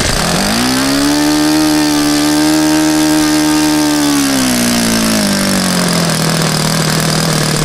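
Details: Saito FA-100 glow four-stroke after rebuild (new bearings, gasket set, tappets; exhaust tappet was mushroomed), APC 14x6 prop, Omega 10% fuel, OS F plug: clean high buzz rises, holds, then eases down as the throttle closes; smooth, no knock, healthy.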